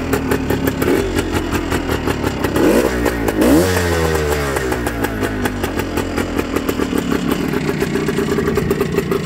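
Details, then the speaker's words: 1974 Suzuki TS250 two-stroke with 9,000 miles, restarted after 37 years with a carb clean, new plug and fuel valve, choke on: a crisp ring-ding crackle rising with throttle, then an even idle; runs healthy. "now this bike has 9000 miles and by the way this bike is a two-stroke you're going to hear that right away here"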